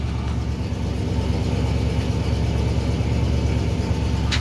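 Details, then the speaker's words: Cold 1968 Oldsmobile luxury sedan, 455 V8, 48,000 miles, just cold-started: low, lumpy idle with an uneven loping beat about three a second, sounding like it could stall; cause unconfirmed. "Oh sounds like she's gonna die"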